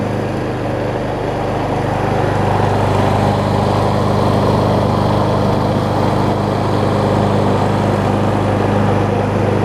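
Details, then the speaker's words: Gardenway-made Troy-Bilt push mower fitted with a nearly new universal blade: steady, even drone at constant speed with no misses, surging or knocks. Running much better, normal running. "so you can hear it's running a lot better now and that's mostly because i have the a much better almost new blade on it"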